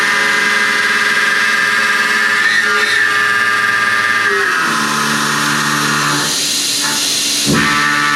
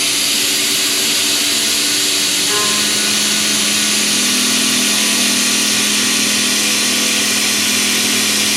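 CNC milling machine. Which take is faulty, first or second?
first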